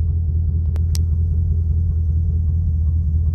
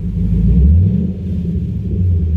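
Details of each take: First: Chevy Camaro V8 with Service StabiliTrak message, codes P0174, P0202, P0302: rough idle stumbling like a machine gun with a slight knock, from cylinder 2 misfire, injector open circuit. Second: Chevy Camaro V8 after a fix for StabiliTrak misfire codes P0174, P0202 and P0302: a deep, even idle with no stumbles or skipped beats; the misfire is gone.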